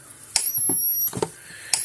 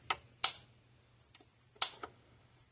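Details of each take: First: 2004 Gallagher B1200 battery fence charger after refitting the original output board, on the high setting: high thin whine builds to a sharp snap, repeating regularly about every 1.5 seconds. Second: 2004 Gallagher B1200 battery fence charger, case open, giving only about 4,500 volts with its indicator light not flashing every pulse: sharp, slightly uneven snaps about every 1.5 seconds with a high whine; a bad transformer is suspected, possibly the output board.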